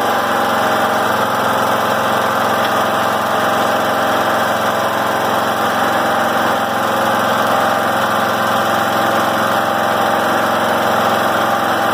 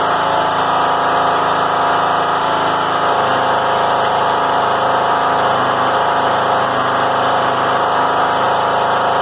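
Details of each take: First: John Deere L100 rider, after governor arm reset: steady even fast idle about 3100–3200 rpm, within 2800–3200 spec, rain hissing behind; governor holding speed properly. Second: John Deere L100 rider, Briggs & Stratton Intek 17 hp, before repair: loud fast steady roar staying high with slight wavering at low throttle; governor ruled out, bent governor spring holding idle high.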